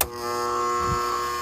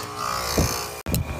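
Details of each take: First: AC condenser unit, compressor tried after another technician called it bad: loud steady buzz over a second without starting, then cutting out; 30/5 µF run capacitor read 4.5 µF, bad, replacement fixed it. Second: AC condenser after replacing a bad 30/5 run capacitor (fan side had read low): smooth, steady motor hum with soft airy fan rush and no buzzing; running normally, blowing heat out the top, rather than the compressor being bad.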